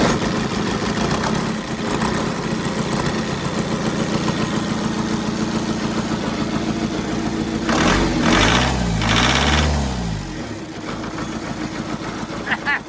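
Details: Engine on the new dyno, started with the dyno's starter motor via a crocodile clip on the 12 V solenoid: the diesel settles into a steady, even clatter at idle with no misses or heavy knocks, running healthy with no load.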